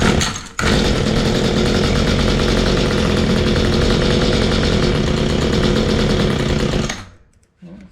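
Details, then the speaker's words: Mantis two-stroke rototiller after fuel line replacement: fires and runs rough for a few seconds, idles but won't rev, then dies; high and low carb mixture needles need removal, cleaning and readjustment. "it didn't stay running so maybe there something else going all right well I still having a hard time keeping this thing running it ran and it sort of idled it didn't really RI up very high"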